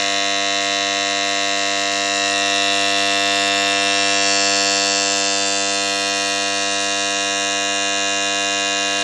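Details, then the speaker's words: Farm water-pump motor starter: loud constant harsh electrical buzz unchanged over the clip; starter contactor buzzing, possibly worn contact strips or springs underneath, risking motor burnout and weak pumping. "त्यामुळे काय होतं जेव्हा आपलं starter आवाज द्यायला लागतं तर तेव्हा ह्या ज्या स्टार्टरच्या खालच्या पट्ट्या आहेत तर यामधल्या पट्ट्या खराब झालेल्या असू शकतात"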